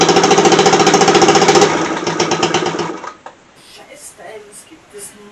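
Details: Scooter increasingly hard to start: fast, even popping for a second or two, then it sags, stumbles and dies; engine stalls and won't stay running.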